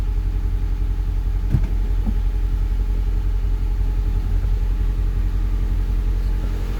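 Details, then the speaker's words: 2003 Honda Civic, first start after a complete engine overhaul prompted by a big oil leak; the oil light went out and the owner expected grumbles, but it has a steady, even low idle with no knocks, ticks or misses: normal idle. "actually, it sounds pretty good. Let's go check the exhaust."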